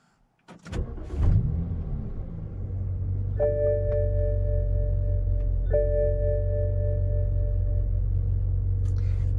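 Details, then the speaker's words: BMW Z4 35i (N54 engine), one week after Vanos actuator cleaning and oil change: cranks and catches quickly, settles to a smooth steady low idle under dash chimes; reduced-power problem gone, normal startup and idle. "idling great the low power concerns have gone away"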